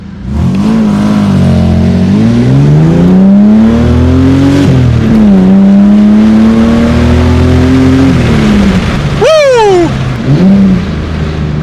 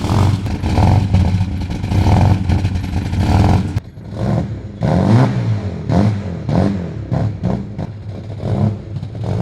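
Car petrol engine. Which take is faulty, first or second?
second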